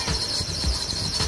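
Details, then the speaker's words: Steady high-pitched squeal from a running car engine: the fan belt is slipping after water got on it while washing the engine bay. The fix is wiping the belt dry and applying water-based silicone. "hal ini terjadi ketika kita setelah mencuci kendaraan atau menyemprot pada bagian mesin seperti ini"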